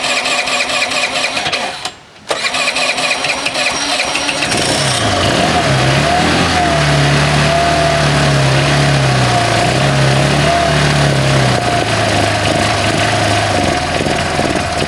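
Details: 2001 Honda CH80 scooter with a small vacuum leak somewhere, needing starter fluid to start: it cranks, catches after a few seconds, then runs with a wavering, hunting note that won't settle. Leak location unknown.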